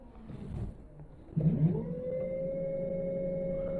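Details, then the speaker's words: Yadea EM-163 Harrier 60V electric moped after battery replacement, powered on: motor spins up with a clean, steady whine that holds its pitch, with no grinding or stutter; it sounds and feels healthy. "that feels a lot more happier that does that sounds and feels a lot happier"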